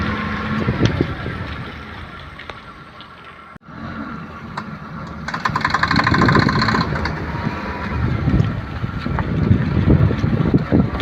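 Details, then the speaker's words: Maruti 800 driven through right-hand turns: rough road rumble with faint quick clicks heard from the left-side axle, none from the right; worn outer CV joint clicking on turns. "Right സൈഡിലോട്ട് നമ്മൾ 2-3 വളവ് right സൈഡിലോട്ടുള്ളത് ഓടിച്ചപ്പോൾ sound നമ്മൾ left സൈഡിൽ നിന്ന് കേട്ടു, left സൈഡിൻ്റെ ആക്സിലിൻ്റെ അവിടെ നിന്ന്."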